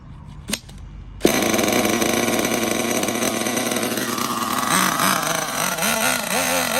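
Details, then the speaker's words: Restored HPI Savage nitro RC engine, previously seized, pull-started: a crack then a high buzzy rattling scream, revs wavering but holding; runs fine. "you can usually tell by the sound that sounds F I guarantee this starts with no issues"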